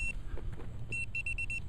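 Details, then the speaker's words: Velox 1 metal detector with iron discrimination turned all the way up: short high beeps chopping in and out irregularly; the signal broke up because the target was a big ball of foil. "Oh, big foil chunk. That's why it was breaking up like that, because we were we got the scrim all the way up, but it was a big ball."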